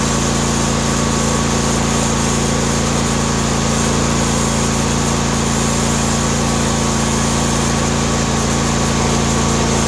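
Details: John Deere D130 mower V-twin after ignition coil replacement: even, steady idle hum with constant tone and no skips or surging; running smoothly.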